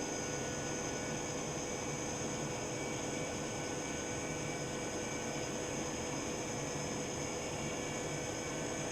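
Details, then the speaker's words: Norden Bombsight C-1 stabilizer gyro motor on direct hookup; smooth, steady high-pitched whine over an even hiss with no knocks or rubbing as it accelerates and current starts to drop. Normal spin-up. "As it's accelerating, the current's starting to drop."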